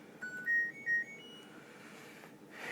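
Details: LG WT1101CW 5.0 cu ft HE top-load washer loaded with clothes, powering on: short rising run of clear electronic tones, the normal start-up chime.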